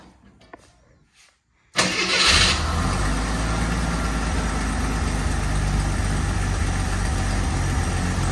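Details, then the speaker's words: AMC Eagle after turning the air-fuel mixture screws out another half turn: the engine catches after a short crank and settles into a steady, even, purring idle with no misses. Normal idle. "That sounds a lot better. Doesn't it? that is purring."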